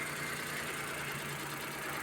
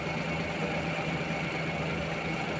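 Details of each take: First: Suzuki minivan D63 engine after fixing cylinder 2 misfire (valve clearance adjusted, new head cover gasket; plugs and coil already replaced): smooth steady idle, no stumble, check engine light cleared. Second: Suzuki minivan D63 petrol engine idling with aircon on: uneven shaky low beat making the body vibrate; cylinder 2 misfire with intermittent check-engine light despite new plugs and coil, traced to valve clearance (tight exhaust valve).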